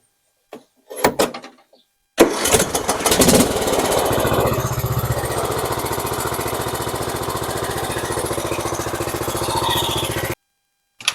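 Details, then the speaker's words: Cub Cadet XT1 riding mower after oil and filter change, oil reading slightly full; brief cranking then steady even single-cylinder chug, no misses or knocking; normal start and idle, run a few minutes before rechecking oil. "I'm going to go ahead and start it up, let it run a few minutes, and then let that settle and recheck it."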